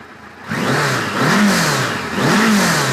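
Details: '86 Voyager XII 1200 after carb synchronization: clean rev rising and falling smoothly twice from idle with no misses or stumble. Owner unsure why it loads up on starting and suspects a weak battery.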